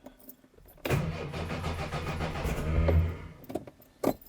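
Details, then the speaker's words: Fox (small car) after fuel tank refit, choke cable fallen out and sounding under-choked; about two and a half seconds of steady cranking that never catches, then a short second attempt; plenty of spark, owner suspects poor earth; no start. "come on fox and not even a sniff this is beyond frustrating"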